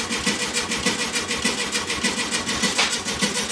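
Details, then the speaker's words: 1969 VW Beetle stored 25+ years unrun, refueled: steady starter cranking under two beats a second, never catching, as the team struggles to start it; troubleshooting found the ignition points no longer working, replaced with a new set. "This was getting embarrassing because Eric and I were called in because we're known for being experts for getting these old cars started, and we couldn't even get this one to go today."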